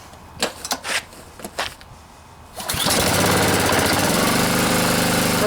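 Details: Honda GCV pressure washer engine that would not start, after carburetor float bowl and main jet cleaning, fuel valve on, choke on, water flowing: a few quiet pulls, then it catches and settles into a strong even run with no misfire or hunting.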